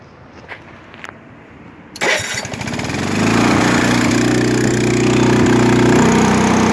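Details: 1980s Honda HT-R 3009 riding mower, Japanese import, sat unused 6-7 years in a shed, cold start on choke in neutral, blade off: a few clicks, then catches and climbs to smooth, steady, evenly firing run.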